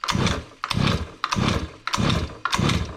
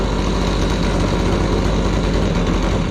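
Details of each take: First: Gas-powered Razor dune buggy with small two-stroke engine (LH cylinder, RC pull start): about eight rasping pull-start strokes, then it catches into a steady, even high buzz, usually around 3,900; still sounds good and healthy. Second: Gas-powered Razor dune buggy small two-stroke revved: heavy, burbly drone lacking crisp high revs; it used to dry rev to about 11.2, and the owner thinks it sounds like it's running rich.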